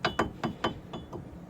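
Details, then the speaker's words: 2003 Buick Rendezvous AWD front brakes: sharp metallic clunks, then taps, in stop-and-go driving; sticking slide pins let the clips jam and fall out, so the pads shift back and forth in the caliper. "only it won't be the rotor will be the pad just moving back and forth so that was another noise"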